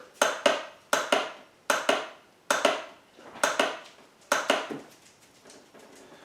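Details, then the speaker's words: 2006 Honda Rancher ES ATV in neutral, can be pull-started but the electric start won't engage: sharp double solenoid clicks about once a second with no cranking between them. Starter motor dead, brushes worn; starter being rebuilt. "well we have a 2006 honda rancher es and we could pole start it but it does not want to engage the start and gear neutral"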